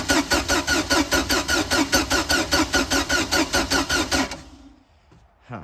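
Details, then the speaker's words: Free non-running boat engine with a fresh battery (the old one read 10.5 V) and a swapped coil that had tested 8,000: steady cranking about 2.5 beats a second, no firing, still no spark. It was later fixed via carburetor adjustment and points gap and cleaning. "I don't see any spark. Although that coil tested good, I swapped it. Let's see if we get spark yet. Still no spark."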